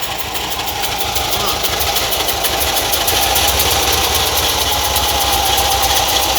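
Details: Air-cooled VW Kombi engine idling: a loud, rhythmic high-pitched chirping from a dried, cracked fan belt.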